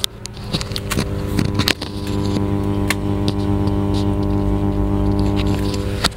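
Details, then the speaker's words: Class H power amplifier driving a 15-inch speaker with no signal playing: a steady low buzzing hum whose level follows the volume control, traced to a fault inside the power amplifier. "Saya hanya menggunakan speaker 15in ini sudah ada menimbulkan suara dengungan jadi sahabat sahabat bisa dengarkan untuk suara dengung Hanya seperti ini"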